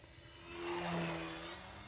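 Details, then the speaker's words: HobbyZone Carbon Cub S2 1.3m electric RC plane on 3S 2200 smart pack, flying slowly around half throttle: rough buzzy propeller drone over motor whine; prop is noisy, owner guesses it needs balancing (e.g. with tape) and wastes energy. "that prop is just noisy i could probably balance the prop with some tape and i would probably add a minute of flight time i'm guessing because a noisy prop is wasting a lot of energy"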